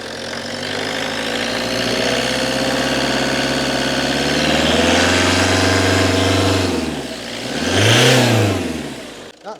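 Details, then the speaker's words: 2002 Citroen Berlingo 2.0 HDi diesel. The owner suspected the EGR valve of causing poor running, so the EGR actuator vacuum was disconnected. Idle is now steady and even, with smooth throttle blips and no misfire: normal idle and revving. "ignition on idling away misses before that's not misfiring at all"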